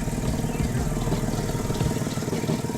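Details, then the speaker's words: Mercedes-Benz W210 at idle: a rapid puffing tick keeping time with the engine beat; exhaust manifold leak where a bolt head has broken off, leaving it held by another bolt, needing drilling out and replacement. "exhaust leak i have to get to it that actual boat that you see right there that actual head is actually broken off"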